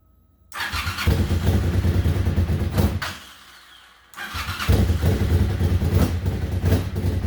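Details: 1998 Suzuki TL1000R V-twin, wrecked and sitting 15 years, first start with old oil and no coolant: catches, briefly drops off, then picks up into a firm, even beat with no misfires; runs properly.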